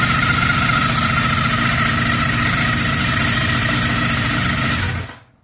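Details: 1987 Kawasaki GT550 motorcycle engine idles with a thin steady whine over the low exhaust pulse, then shuts off.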